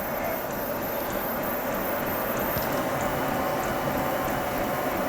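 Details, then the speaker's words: Qidi X Max 3 3D printer after rebuild, printing PETG with speed raised from about 131 to 150 mm/s; skipping earlier traced to the z-axis set too low: steady soft hiss with light, even head ticking, no skipping clunks; normal high-speed operation. "you can hear the pH and it changed now it's at 150 where it was at 130 something"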